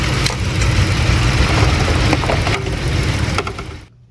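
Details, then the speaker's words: 2008 Lincoln MKX 3.5L AWD, 199,000 miles, check engine light, runs rough in the morning and getting worse: rough, loping idle with an uneven stumble every few beats as one cylinder drops out; injector confirmed stuck and dead after tapping failed. "Now we know without a doubt that we have a stuck injector. It's not going to become unstuck."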